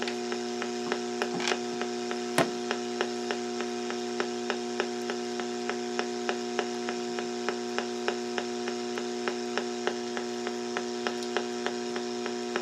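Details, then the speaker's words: Portable battery radio on AM broadcast band between stations next to A&H 12 V 4 A switch-mode pulse repair charger set to pulse; steady electrical buzz with sharp ticks about every two seconds: radiated charger RF interference. "I'm going to plug in this uh this charger and we'll see what happens now the noise level you can hear it yeah I put it on pulse"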